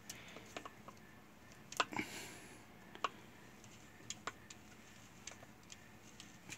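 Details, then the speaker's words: Electrolux LTE12 washing machine that won't spin, testing the faulty brake actuator powered at 220 V: quiet, uneven dry ticking as it clicks but fails to pull the steel cable; a new actuator fixes the spin. "então fazer o teste do do atuador aí ó tá ligado 220 faz um barulho mas não puxa o cabo de aço"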